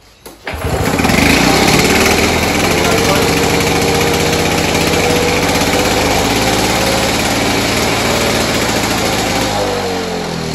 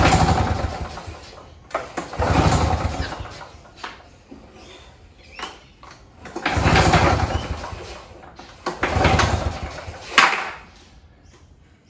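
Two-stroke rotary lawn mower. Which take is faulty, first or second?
second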